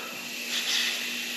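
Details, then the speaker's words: Leak-down test on a truck engine with an unexplained noise, engine off: steady airy hiss of compressed air escaping, heard at the throttle body with the intake boot off, so it is leaking past the intake valve; owner suspects a bad valve or a cam problem. "I suppose what I should do next is pull off the boot to the throttle body and then see if anything's coming out that end. Oh, it's leaking through the intake valve"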